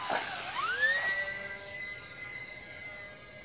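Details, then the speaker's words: E-flite UMX Aero Commander RC plane electric motor on a 2S pack around 7 min 50 s into flight: thin whine sweeps up, holds a steady high pitch, then fades as the low-voltage warning comes on. "You hear that noise? Yeah. That's low voltage warning."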